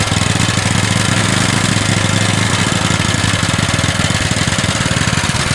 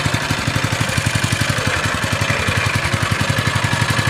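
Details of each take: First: Honda GX160 single-cylinder engine lacking power, heavy and rough: fast chugging with ragged uneven beat and clattery top end, before valve clearance adjustment; fixed by resetting valve clearance: rough running from excessive valve clearance. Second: GX160-type single-cylinder engine after valve clearance adjustment (sizes 10 and 25) for weak, rough running: pulses at a quick, fairly even beat with no ticking or clatter; valve train quiet, normal running.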